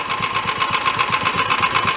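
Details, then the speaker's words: Half-scale VW-style dune buggy engine built from mismatched cheap parts, oil was low and topped off: steady run with tinny clatter pulsing about six times a second, owner suspects clanky bottom end; clanky mechanical noise. "sounds like the bottom end is a little clanky to me though and I did top it off with oil it was low"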